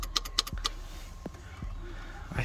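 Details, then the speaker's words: Nissan 200SX S13 driver's door window: sharp clicks from the door relay with each switch press but no motor whir; cause was a cracked solder joint on the relay circuit board, fixed by resoldering. "when i press when i press the button you can hear it clicking here on the relay"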